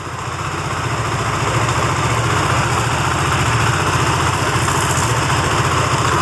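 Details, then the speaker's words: Benelli TNT25 250cc motorcycle at idle: light metallic rattle ticking steadily with the idle, like a loose nut inside near the cams, with a bee-like buzz on one side; source unknown after three mechanics. "p la oreja AC al lado apagamos suena como que si tuviera una tuerquita suelta dentro una cosa así"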